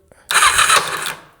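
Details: 2004 Kawasaki Ninja 250, carbureted, 52 miles, long unused, starting fluid in airbox and choke pulled. About a second of whirring crank that dies away without catching; cranks but won't start, fuel later found reaching carbs, cause unconfirmed.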